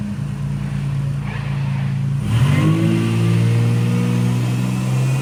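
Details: Toyota Prado 5VZ turbo (Haltech), rebuilt overnight after two bent conrods caused a bottom-end noise: engine catches and revs up cleanly, pitch rising and holding evenly, no knocking or tapping. Healthy.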